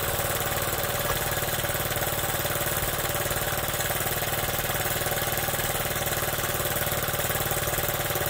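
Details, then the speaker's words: Honda Z50 with points ignition, carburetor fixed, chain off, idling after first start: quick steady idle with even beat, no misses or surging; runs clean, normal idle. "Look at this. She runs great. It's got points ignition in it too."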